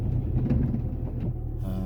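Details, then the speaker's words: Car started for a drive: even engine rumble, then steady low whine holding its pitch that sounds bearing-like; it goes away later and owner attributes it to the gearbox; bearing-like whine. "Start the engine. Ooh, that sounds a bit bearingy. Oh, well, hopefully it'll get us there."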